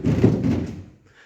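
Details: 2022 US Tesla Model Y/3 after a light accident repair: a hollow, drumlike bang with a tinny rattle when one wheel hits a bump. The cause is the thin sheet-metal battery top vibrating as the body flexes. It also occurs during fast charging.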